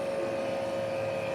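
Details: 1980s Honda Goldwing on-board air suspension compressor: a steady, even mid-pitched hum with no stutter or rattle as it raises rear suspension pressure normally.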